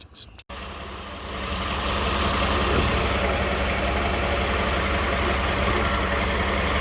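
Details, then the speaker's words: 2009 Toyota Sienna at idle around 1,000 rpm, heard from underneath: constant low buzz from transmission area; flex plate bolts and teeth checked fine, noise persists; torque converter or transmission pump suspected. "Okay. Guys, good. The noise is still on. We expect the flex plate is okay, but something wrong."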